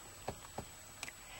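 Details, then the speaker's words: $400 motor home, under the sink cabinet: three soft, uneven drips in about a second and a half as water leaks from a cocked PEX connection at the hose; fitting to be taken off and fixed. "So it is my PEX connection right there at the hose. That's where the water's coming in at. Drip, drip, drip."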